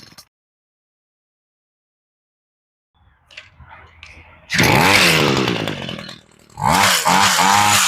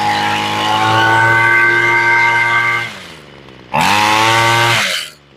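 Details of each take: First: Homelite Mighty Lite string trimmer two-stroke with replacement carburetor, after sitting a long time, choke just turned off: after two sharp revs drops to a weak, ragged idle that nearly dies; otherwise sounds okay, idle screw set too low. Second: Homelite Mighty Lite two-stroke weed eater, long unused, after carburetor replacement and tuning (idle screw nearest engine, then high screw): high buzzing scream holds steady at full revs, drops off, snaps back cleanly; carb running properly, sounds pretty good.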